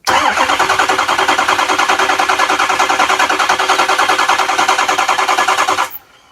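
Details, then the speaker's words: 2005 Ford F350 6.0 Power Stroke diesel after oil change: starter jumped at solenoid wire, steady cranking about three turns a second for six seconds without firing to prime oil; normal cranking. "Alright, that should be primed enough."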